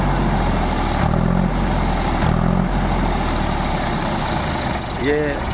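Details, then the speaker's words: Diesel tractor engine after injection pump setting fix and head work, low steady thrum with even beat, no hunting or knocking; takes load well, sound no longer changes after running warm; normal idle. "है load भी सही ले रहा load नहीं और थोड़े चलने के बाद इसकी आवाज चेंज हो जाथ अब देखो बिल्कुल चेंज नहीं"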